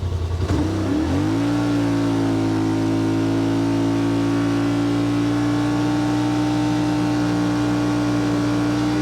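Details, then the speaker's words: 2021 Yamaha Wolverine RMAX XTR 1000 4-seater, in Trail mode, after a change that cut cruise RPM about 600 (5800 at 44 mph): pulls up then steady even drone, checking for 9300 RPM top end; normal, no surging. "obviously if you want to show off you can we'll just uh go over here make sure we're still getting those 9 9300 RPMs that I got"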